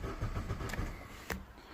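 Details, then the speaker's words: 2006 Vauxhall Astra 1.4 petrol, in for ABS fault: uneven starter churning with a couple of sharp bursts that never run; fuel light now on, crank no-start. "it's still not starting and now the fuel light is on I'm sure there was fuel in this car why is a fuel light on now is there no fuel in this car"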